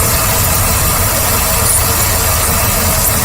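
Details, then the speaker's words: Ford Taurus with P0171/P0174 idling: steady airy hiss over a low even rumble from a vacuum leak at a worn PCV valve hose, found when spraying made the engine stumble. "I found the problem right here oh I hear it hissing right here hear that"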